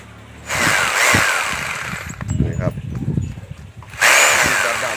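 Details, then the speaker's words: Rotary hammer drill cutting in and out, working only sometimes: roars about 1.5 s, drops out about 2 s, then kicks back in; possibly the forward/reverse switch contacts not touching properly. "ไอ้ตัวนี้ปัญหาตอนนี้ที่เจอก็คือติดๆดับๆนะครับใช้งานได้บ้างไม่ได้บ้างนะครับ"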